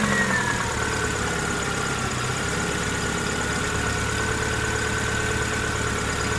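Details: 1999 Subaru Impreza EJ22 petrol engine: rapid, regular knock under the hum that grows louder as rpm climbs; owner suspects rod knock, not confirmed.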